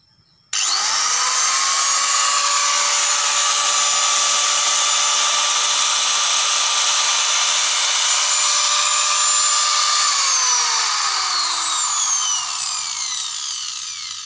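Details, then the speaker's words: Angle grinder after reassembly with all bolts tightened, following a hot, vibrating, knocking fault caused by loose worn bearings: high steady whine spins up quickly, holds even and winds down smoothly with no knocking or rattle; running normal again. "Nah oke lor, jadi suaranya sudah bagus, sudah normal, bersih kembali seperti semula."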